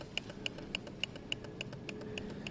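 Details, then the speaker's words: Kawasaki ZL600 indicator relay with non-LED bulbs: sharp, very even ticks about every 0.29 s (~200/min). Flashing too fast; owner thinks not enough wattage is in the circuit and may double up the lights or fit an adjustable relay. "it's doing something it just isn't slowing the flash rate down it's clicking too fast which means there isn't enough wattage going backwards in the system"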